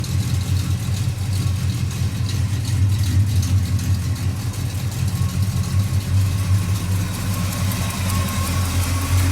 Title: Got the F-250 running again, just one more exhaust leak to fix.